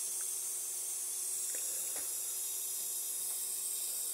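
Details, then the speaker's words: MFJ-4275MV power supply, cover off and powered: a constant fizzing sizzle with scattered crackles from the small electrolytic capacitors, identified as bad capacitors frying. "see if we hear exactly where the um uh frying eggs are coming from inside this beast of a power supply"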